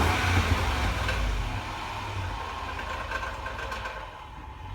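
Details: 2010 Range Rover Sport Supercharged: light, inconsistent metallic rattle from somewhere under the hood as revs fall back after a rev; it occurs only as the engine spools down, also at a stop light on level ground.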